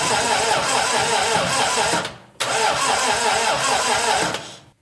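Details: 1961 Triumph TR3A, barn find off the road since 1985, new high-torque starter; fuel just turned on, possible fuel leak, choke not working, throttle used: two steady starter whirring spells about two seconds each, never fires; cranks but won't start.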